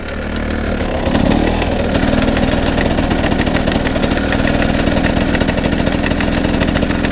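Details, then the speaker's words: GasGas two-stroke motorcycle with a screw from the valve-opening system fallen into the bottom end, heard being ground, possibly by the gearbox. Steady idle with a sharp, regular tapping over the firing beat, only in first gear. Owner suspects a damaged first-gear pinion. "ça tape en fait je sais pas si vous l'entendrez bien la caméra pourtant j'ai mis un bon micro je vais vous montrer ça en roulant j'espère vous l'entendrez bien c'est juste en première ça tape ça fait papa"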